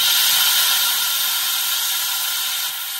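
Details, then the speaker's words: 1973 American LaFrance Pioneer fire engine, Detroit Diesel 6-71, air brake pedal held down, parking brake released: steady sharp hiss from leaking front quick release valve, which should dump air on pedal release; cheap replacement part. "so that is the quick release valve in the front air brake system that is leaking um that's supposed to discharge all the air when you let off of the pedal"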